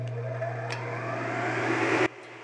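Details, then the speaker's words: Auction-bought Miller welding fume extractor on first test run after cleaning, not yet ducted: steady low hum with an even airy rush for two seconds, then cuts off; smooth blower, just a bit loud. "It definitely works. It's just as smooth as silk. It's that good quality rotor in there. Nice. A little loud, but it may not be as loud when it's all hooked up."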